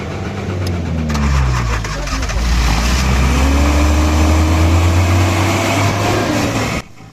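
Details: Suzuki Potohar 1000cc after replacing faulty breaker points and fixing poor petrol flow at fuel pump: engine catches, settles into steady even run, revs lift smoothly before shutoff; starts and runs normally.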